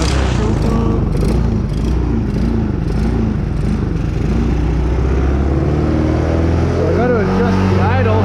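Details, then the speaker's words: Small 125cc Chinese kids' ATV after carb cleaning and a replacement spark plug, air filter off; a steady, even putter at a fairly high idle with no misses, smoother with more RPM than before. Normal running, idle needs lowering. "idle just the idle down a little bit here that's running a lot better than it was before a lot smoother getting way more RPM out of it"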